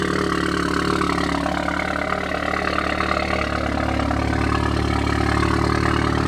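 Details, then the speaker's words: 2016 Audi S3 with new CTS 3.5-inch high-flow catted downpipe and AWE switch-path exhaust, on lift after install: loud steady idle with fast light ticking, sharp and distinct; exhaust leaking badly. "Yo, that is loud. That's loud on storm. It's leaking like crazy."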